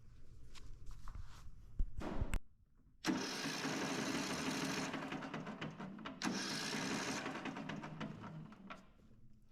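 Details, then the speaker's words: 2004 Craftsman 30-inch mid-engine rider built by Murray, cranking: the starter spins the engine fast and free with no compression pulses and a weird clunk (owner suspects a busted rod). "um it's complete doesn't look too bad but when we do crank it over it sounds like absolutely no compression"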